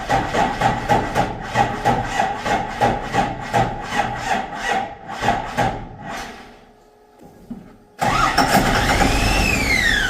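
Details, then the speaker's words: Ford with 7.3 IDI swapped for a P-pump Cummins, first test start: starter churns in even pulses about three a second for six seconds and never catches; fuel shutoff lever was left in the off position. "road so I think I figured out what I did wrong this is a fuel shut off I had it spring sprung that way that's actually shut off it's supposed to be forward to run"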